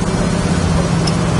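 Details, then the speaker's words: 1968 Chevrolet Camaro on a road drive: smooth, even low rumble at cruise with no knocks, clunks, rattles or shimmies; tight, normal running car. "Nice tight running car. You can hear there's no rattles or shakes or shimmies or anything in it whatsoever. It's a nice running car."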